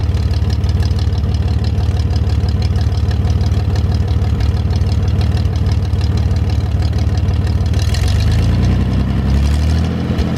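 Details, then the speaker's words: GMC 432ci V6 engine, first start after sitting almost five years: deep, steady, even idle with no misses, knocks or ticks, then a brief note change; a little smoke at startup that cleared once warm. "well folks it was nice to hear the 432 fire up been sitting around here long enough and figured today was a really great day to get the thing cranked up and see how everything sounds and it looks like we got a nice engine to work with"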